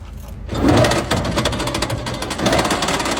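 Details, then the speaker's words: Electric tricycle with a recently replaced motor, one rear wheel jacked up and driven: fast sewing-machine-like clicking that repeats quicker as speed rises, once occasional now frequent; motor runs fine unloaded, half-shaft and bearings look normal, cause undetermined. "速度越快，声音响得越频繁。"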